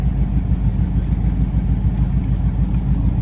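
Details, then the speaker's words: 1998 Mercury Grand Marquis, sat over two years, being driven: deep, loud, raw rumble with a throbbing low beat as it revs, exhaust rotted off so it runs essentially straight-piped. "Yeah, you can still hear it. You hear the... Oh, yeah. Sounds like Nick's car. Yes, it does. Being straight piped."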